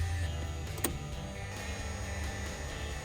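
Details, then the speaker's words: Piper Cherokee 6-300 sitting several years, avionics powered from a weak battery; low steady electric hum builds with no grinding or scraping as the gyros spin up. Normal gyro spin-up. "All right. Sounds like stuff is spinning up."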